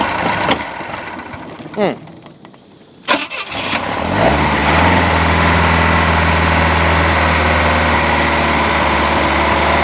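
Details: Boat motor after manifold install, water flushed through ear muffs: cranks, catches after a stumble, then settles to an uneven lumpy idle; rough running as timing is off and carburetor needs rebuilding, oil still free of water.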